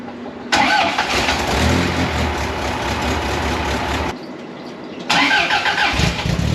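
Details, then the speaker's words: 1982 Fiat 124 Spider, freshly rebuilt engine (built twice) with new exhaust, first start after timing tweaks, alternator not connected: fires straight away and runs steady and even, dips briefly, then picks back up cleanly; normal running. "we are running amazing look at that right out of the box"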